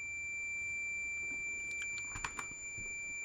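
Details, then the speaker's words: Multimeter continuity beep at 40 ohms from a cheap decade box: steady unbroken high beep; meter keeps beeping through 70+ ohms, so beeping doesn't prove an automotive blade fuse good. "40 ohms, still beeping. Now, I know it doesn't say 40 ohms here, but we've got the resistance of the meter."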